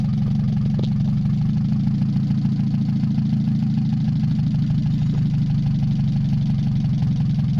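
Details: Mazda 626 first start after cylinder head reassembly, rest of exhaust not connected, oil overfilled: steady low drone with uneven, slightly hunting pulse and vibration. Owner suspects O2 sensor misreading the open exhaust, possibly old gas or bad EGR. Rough idle.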